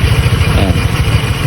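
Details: Honda Click 125 version 3 scooter, owned about a week, at idle: uneven low chatter and rattle from the CVT side; the CVT is noisy, and the cause is not yet identified.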